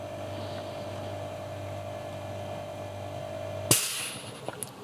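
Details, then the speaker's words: Sil-Air 15A oil piston airbrush compressor, very quiet while running (room about 32 dB), refill about 10 s: low steady motor hum with a faint tone, then a sharp hiss as it cuts out and releases air at full tank; normal cutoff. "It's going to make a small sound when it's done. That's the only loud noise it does. When it fills up, it releases air."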